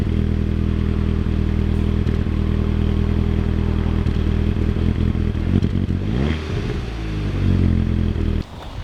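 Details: Volkswagen Passat TDI diesel, recently bought, runs uneven and lumpy with an irregular stumble and clatter: misfire.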